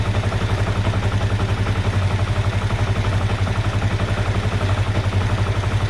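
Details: 2005 Kawasaki Ninja 500R twin revived after sitting 10 years, first startup after carb work with battery connected: steady even low thump about four pulses a second with light clatter on top; idling smoothly, healthy.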